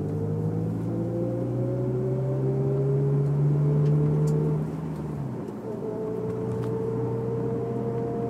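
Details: Honda S2000: steady whine over the engine climbs slowly on throttle, fades when lifted, then returns, only with foot on gas; drivetrain whine under load, owner unsure whether diff or transmission.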